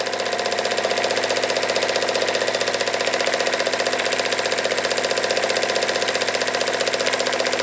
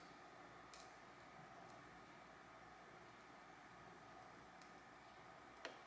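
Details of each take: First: Jensen Model 25 steam engine, first run: crisp regular knock about four per second on every stroke, louder running clockwise; owner suspects valve linkage, quieted somewhat as it broke in. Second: Jensen Model 25 steam engine, first firing with dry fuel heating the boiler: near-silent hiss broken by four sharp, irregular clicks in six seconds as metal expands, then first sounds of boiling; normal.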